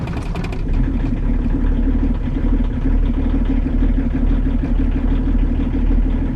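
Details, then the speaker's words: Volvo 240 diesel just after cold start from inside the car, plugs glowed about 20 seconds; low, lumpy rumble with uneven beats, running a bit rough at idle. Owner suspects one or two glow plugs getting no power; not confirmed. "i am wondering if one or two of the glovebox is not really getting any power hence why the car might run a little bit rough at idle"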